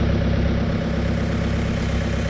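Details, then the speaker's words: 2018 Chevy Cruze 1.6L turbo diesel (Gen 2) just started after fuel filter change and three priming cycles, no leaks, fuel circulating noise in filter stopping: settles into steady, even idle with no stumbling or misfire; healthy engine. "not hearing anything not seeing anything so that's good and I don't know if you can hear without fuel noise that was circulating around in the filter now probably just filling up even more has stopped now cars still running the same"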